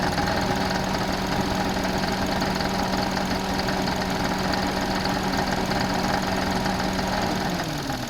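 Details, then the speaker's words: Engine running with air conditioning on, recorded close up in engine bay: steady droning tone over the engine whose pitch sags and fades near the end; noise appears with AC on, little noise with AC off; source unconfirmed. "In this case, I found quite quickly when the AC was on, the noise was coming in."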